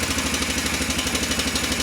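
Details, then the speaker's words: 2003 Honda Rincon 650 ATV just started by jump: light, fast, even tapping over idle, getting louder, keeping time with the engine; suspected valve adjustment or timing chain, unconfirmed. "As you can hear, it started up pretty good. Definitely has a noise in the engine. Hear it kind of getting louder. It may be just a valve adjustment."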